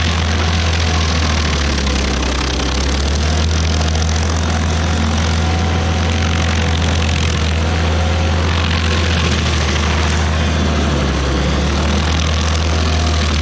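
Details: Rebuilt-motor stump grinder on its first job, cutting a willow stump: heavy, even drone holds steady under load with no misses or knocks; engine pulls well. Residual oil on the heat shield cover later burnt off.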